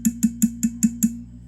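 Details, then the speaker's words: Fender Hot Rod Deluxe III tube guitar amp on the bench: six ringing metallic pings about five per second over an underlying low hum; worn, microphonic power tubes needing a full retube. "you could hear this whistling sound it's these [Music] guys they're they're they're trashy mess my man"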